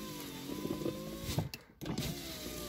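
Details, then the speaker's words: VAZ 2115 power window after cleaning the channels and applying silicone to cure an odd noise and stiff glass travel: smooth, even motor whine as the glass travels, then a clean stop; no scraping or binding, the window now works better. "работает замечательно стеклоподъемник даже стал лучше работать стекло опускается лучше"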